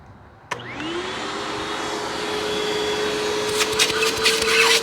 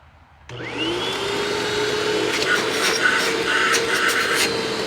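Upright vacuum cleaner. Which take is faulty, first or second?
second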